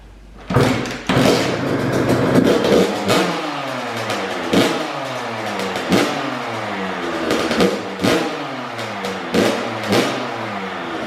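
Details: First-ever start of a brand-new Kawasaki KX112 after a build with a Pro Circuit pipe, R-304 silencer, Boyesen RAD valve, VHM high-compression head and rejetting. It fires within a few kicks and revs freely with clean blips to a steady idle: a healthy two-stroke.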